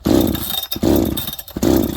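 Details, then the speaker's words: Farmertec 288 kit chainsaw, warm, low and high jets at 1.5, idle screw turned in: revs flare up and die three times in two seconds, surging unevenly and stalling; owner suspects a massive air leak. "Friends, listen to this saw run now. I think we have developed a massive air leak."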